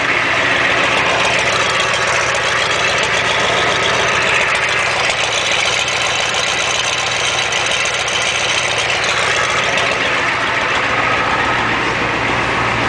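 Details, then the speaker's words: 1987 Ford F-250 6.9L IDI diesel, just started after sitting 5 months, about 40°F, straight-piped as exhaust is shot: steady even idle with loud raspy open-exhaust rumble, no knocks or misses; normal diesel idle. "listen to her purr this thing actually is straight pipe cuz the exhaust is shot on"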